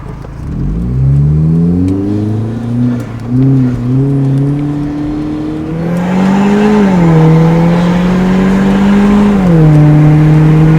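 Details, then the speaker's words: Hyundai Genesis Coupe 2.0 turbo with custom exhaust, driven after a new fuel pump was fitted: engine note climbs smoothly through each gear with clean shifts, felt strong, no hesitation; normal acceleration. "Sounds good. Yeah, that felt strong. Yeah. It didn't feel hesitant at all."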